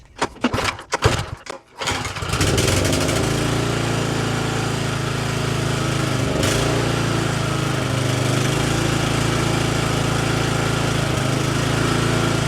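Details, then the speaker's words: Exmark commercial mower restarted after apparent flooding. After a few coughing pulls it catches into a steady, slightly hunting drone; probably running a little lean, so the carb is to be removed and ultrasonically cleaned: lean running engine. "all right so it's definitely running probably a little bit lean so i think what i might do is take the carb off"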